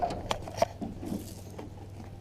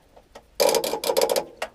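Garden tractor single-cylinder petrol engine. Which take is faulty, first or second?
second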